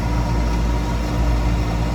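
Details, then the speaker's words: Toro Recycler 22-inch mower with a Briggs & Stratton engine, reported pulsating and running rough: a steady but coarse, uneven pulsing low note. A badly clogged, unchanged air filter was found and is a likely cause. "someone hasn't changed their air filter in a while and this could be causing the problem"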